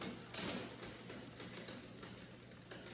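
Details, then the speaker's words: 2001 Specialized Rockhopper bicycle during final gear adjustment: light, even ticking and brushing with the cranks as the cross-chained chain rubs the front derailleur cage. "That noise you're hearing is just this thing's a little little cross chain. So, there's a little bit of rubbing up here."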